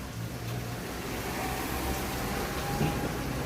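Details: Washing machine after repair of a loud, airplane-takeoff-like noise during spin: spin test gives a steady, even whirring hum with a low motor drone and no roar or grinding. The drum now spins normally.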